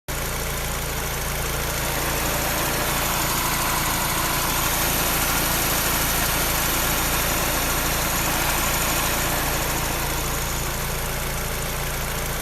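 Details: Peugeot 308 engine at idle: a fast, fairly regular clacking, roughly three or four per second, a clear mechanical clatter whose source is not identified.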